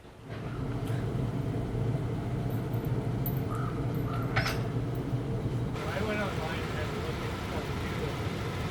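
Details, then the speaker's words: Oil furnace heating a boat shed shop, newly wired to a thermostat, with leftover old fuel still burning; a low, steady roar rises within a second and holds evenly with no sputter or surging; burner starts and runs normally. "Is the furnace going to start? Is it going to run? Is it going to warm up our little shop?"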